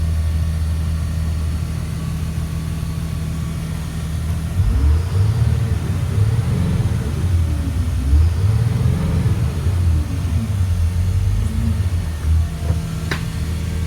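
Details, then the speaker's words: 2004 Blue Bird All American 72-passenger school bus diesel, warm after about an hour's running, not overheated; steady low idle rumble with a brief rev, no knocks or misses. White smoke when revved, gauges working. Normal idle. "So the motor sounds good. It's been running for about an hour. It has not overheated."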